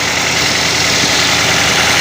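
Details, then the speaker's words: Car idling to warm up after starting, so the alternator recharges the battery; steady, even idle hum with a light whir from the alternator area, no knocks or misses: normal idle. "Jadi dibiarkan kondisi mesin idle seperti ini, mesin menyala dengan seperti itu,"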